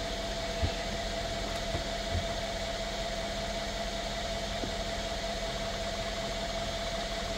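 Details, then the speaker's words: 2016 Mercedes-Benz S550 W222 just after replacing the ignition coils and spark plugs: quiet, smooth idle with a faint steady hum and no misfire or ticking. The check engine light went out immediately, though codes remain stored. "the check engine light was also on it's immediately gone away so we're already off on a on a a a a great foot now the codes are still going to be there but the car is is a lot happier"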